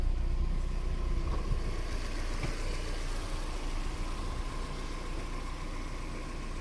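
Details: Mazda MX5 NB 1.8S idling after refurbished electronics, first run after sitting a year: steady, smooth low four-cylinder idle with even rhythm, no misfire, ticking or hunting; idling perfectly.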